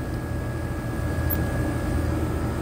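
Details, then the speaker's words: Condenser fan motor running with a steady low hum while the compressor only buzzes and never starts, on a no-cooling call in 100-plus-degree heat; compressor suspected dead, but a burnt wire connection was keeping it from starting; system also low on refrigerant. "but watch the compressor I hear it like making a buzzing noise"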